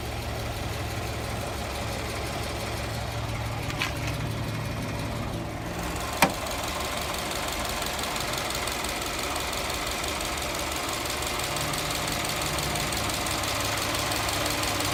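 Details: Subaru Forester XT boxer at idle: loose, irregular rattle tapping over a steady hum, more prominent since an oil change to Castrol Edge 5W-40; owner suspects piston slap, cause unconfirmed.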